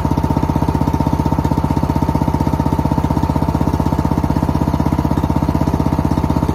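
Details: Engine running for the first time in 2 years: steady even chugging at about four firings a second, low and regular with no knocks or misses; runs cleanly.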